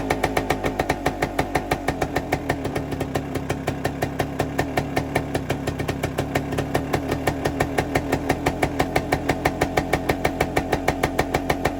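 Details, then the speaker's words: 1973 Suzuki TS250 Savage two-stroke single, revived after 25 years in a barn, running on auxiliary tank: crisp, even popping at steady idle around three firings a second, no misses or rattles, oil line pumping properly; normal idle. "I let it run for a little bit, and um everything seems to be functioning properly."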